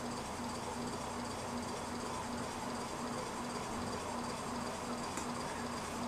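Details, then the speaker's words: 56-inch Nadair Spinner industrial ceiling fan: faint rhythmic rasp about three times a second over steady fan rush, caused by a piece of paper inside the motor rubbing; owner plans to remove it. "u're hearing there is some paper that's in the motor"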